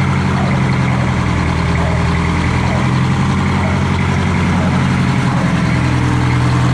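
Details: Detroit Diesel 4-71 two-stroke after rebuild, with injector heights set and initial smoke gone: deep, steady drone at constant idle, no misses, knocks or hunting; idles smoothly.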